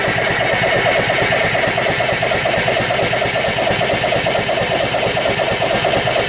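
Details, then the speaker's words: 6.2 L MPI boat engine being winterized in freezing cold, cranked to pump antifreeze from a jug through the engine: even churning about twice a second, never catching; cranks but won't start, cause unknown. "well for some reason I can't get his generator running but as you can see I'm about halfway through so just turning it over pumps the antifreeze through the motor"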